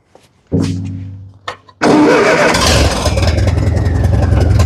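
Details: 70-year-old Massey Ferguson TO30 tractor being revived, carburetor being adjusted; runs on choke but not without it, seemingly not getting enough fuel: cranks, catches, runs roughly with a low uneven chug near stalling; stalling after restart.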